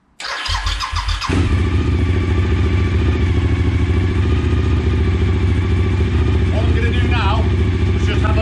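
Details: Suzuki SV1000 after fuel tank replacement, fuel pump primed: brief crank, then engine catches and settles into a steady, even, deep idle with no misses or knocks; healthy start.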